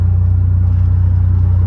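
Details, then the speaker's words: S10 mini truck with brand-new (not reman) calipers and sliders now greased; at cruise only steady road and engine rumble, no squeal or chirp from the brakes. The owner believes dry sliders caused the earlier squeaking. "it's doing really good it's not squeaking or nothing like that so now I know to grease the sliders up every time you get new calipers"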